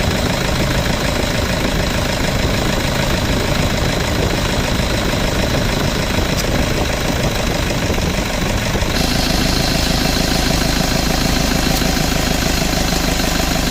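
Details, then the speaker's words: Toyota Vigo at idle after AC evaporator, drier and valve replaced, compressor oil changed and bearing replaced, system not flushed: steady fan and compressor hum, clean cycling, no rattles or bearing noise. Cooling and cycling are normal. "ความเย็นทำได้ปกตินะครับแอร์ตัดต่อปกติทุกอย่างก็แกเย็นพร้อมใช้พร้อมส่งงานครับอ่า"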